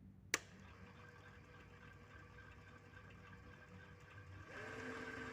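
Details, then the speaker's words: Mini lathe with DIY replacement power supply and MOSFET speed control, after changing direction: spindle motor spins up with steady even whine, no knocking or grinding; direction change, emergency cutoff and auto feed all working, normal running. "Emergency cutoff. And auto feed, everything seems to be working."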